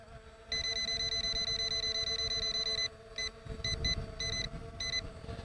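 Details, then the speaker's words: ZLL SG906 MAX Beast drone hovering refuses forward flight with nothing ahead: steady high beep then repeated beep bursts over faint rotor hiss; obstacle avoidance sensor suspected faulty, not confirmed. "Yeah, no, I can't get any forward flight with it. You can hear the beeping here."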